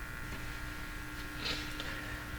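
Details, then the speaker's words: Philco 42-322 tube radio working well on AM but poor on shortwave: steady low hum under the audio on shortwave; owner suspects a capacitor or possibly a tube. "so okay works really nice on am seems to be a dog on F on the short wave has that hum"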